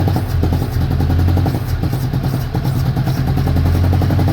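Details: 1983 Chevrolet Chevette, old car: uneven, stumbling exhaust pulses with clattery gaps as it struggles to keep running; sputtering misfire close to stalling, car needs mechanical work, cause not stated.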